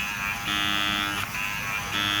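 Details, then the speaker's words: 2017 Chrysler Pacifica passenger-side window: motor buzzes steadily when switched, but its internal gears are stripped and nothing turns; regulator assumed intact, window motor to be replaced. "The window motor, the gears in the window motor is not turning. Wow. See that? You can hear it running, but nothing's turning."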